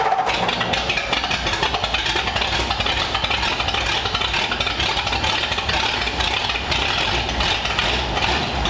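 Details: 1932 Ford Roadster engine, installed in the car with modified headers and exhaust pipes run under the car, first run in the car since about 1953: settles into a steady, even idle with a crisp exhaust note; healthy normal idle.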